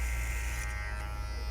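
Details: Babyliss Pro X T 45 clipper: steady low hum with a fine buzzy rattle from a loosely fitting guard attachment; bending the guard tighter stops it, yet every guard fits the same poorly.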